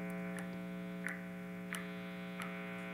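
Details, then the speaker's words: Electric guitar idle on single-coil neck pickup, noisier than position two: steady buzzy 60-cycle mains hum drones from the amp. "example my neck pickup seems to be a lot noisier then position two so it's worth trying it out"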